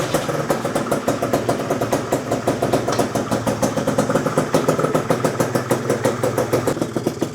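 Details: Freshly built PM Tuning 172cc Gilera Runner two-stroke Piaggio scooter engine, second start, barely warm at about 100 degrees, coolant not yet bled: quick, even idle with a crisp regular popping beat, no knocks or misses; healthy.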